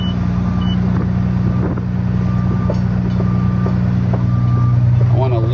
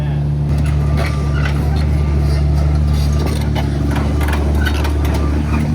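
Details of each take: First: Used excavator with its worn track lifted off the ground and running: steady low engine drone with even track clatter about two hundred a minute, nothing harsh; sounds acceptable, and the earlier noise was thought to come from the gravel. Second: Worn excavator with diesel engine and turbo spool, all pins bad and a wobbling turntable: deep drone with gritty grinding bursts as the bucket and arm lift, instead of the normal even ticking; cause not confirmed.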